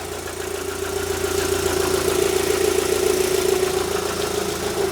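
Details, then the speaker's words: Rover 75 idling just after its factory spark plugs were replaced with new ones. A smooth, even idle with a steady hum and no misses: normal idle, now running better. "Running better. Running better. Yeah, it runs better."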